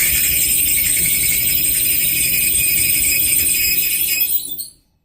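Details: Maytag 2000 series gas dryer running: harsh high metallic squeal with jingling rattle over the tumbling drum until shutoff; spraying the idler pulley silenced it, fixed by replacing idler pulley #279640.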